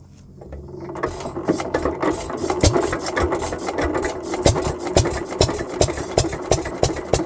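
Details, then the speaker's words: Economy/Hercules 3½ hp hit-and-miss engine with a Wico EK magneto and good compression, running slowly. Sharp, irregular knocks on each firing stroke and a clattery rattle come from play in the connecting rod bearing and the wrist pin. "Other problem with this engine which is a minor thing but there's a little bit of play in the rod bearing which you can see there. And a little bit in the wrist pin. I can see a little bit of play there and you can hear it when it runs."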